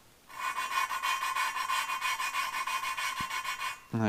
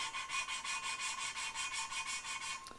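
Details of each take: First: all right now i want you to listen when i start it's going to sound very coarse and grinding and then it's going to smooth out and become less raspy when it becomes less raspy you need to change your lapping compound see how it's very coarse Second: Hand lapping valves into the head with light fingertip pressure, back-and-forth strokes nearly three per second; the sound has gone from coarse grinding to soft and smooth, showing the lapping compound is worn out and almost due for changing.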